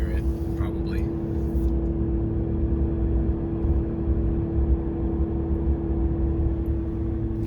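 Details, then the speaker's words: 2016 Ram 1500 3.0 EcoDiesel on test drive after fuel filter housing/water separator replacement for a P0183 fuel temperature circuit code: steady mid-pitched drone over road noise, cooling fan running hard constantly, original symptom persisting; cause unconfirmed. "Uh but the fan is still blowing. Real hard. Which was a symptom of the initial problem."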